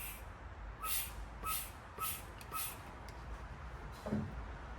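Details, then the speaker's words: A metal line is disconnected and vacuum is applied; four evenly spaced hissing pump strokes, each with a brief squeak as air pulls through, showing the section toward the gas tank is open and flowing, not clogged. "you can actually hear it squeaking over there where the air is pulling through"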